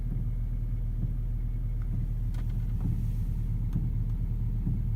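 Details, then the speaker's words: VW Touareg 3.0 V6 TDI at idle with a soft, even throb about once a second like a heartbeat, heard only inside the cabin, sporadic, gone after restart; 6 °C outside, HVAC and radio off; auxiliary heater suspected, chain tensioner fine. "dieses gleichmäßige geräusch was wie ein herzschlag ungefähr in der geschwindigkeit ist das wäre ich nur im innenraum und nicht im motorraum und auch nicht außen"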